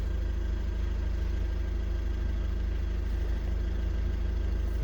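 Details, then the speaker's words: Volkswagen Caddy 2.0 TDI common-rail diesel, start after fuel-system repair with new injectors coded: starts easily into a steady, even diesel clatter at idle with no misses, knocks or hunting; normal idle. "запускаємо автомобіль опускається легко працює рівно"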